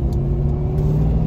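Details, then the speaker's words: Ford Fox Body Mustang swapped from 2.3 four-cylinder to 5.0 V8 with 5-speed, first-gear pull to about 3000 rpm; deep, even rumble with blower audible, no knocks or misses, sounds healthy; a shifter rattle noted afterward. "here we go 3,000 actually sounds pretty damn good all these [Music] smokes you can really SE hear that blower"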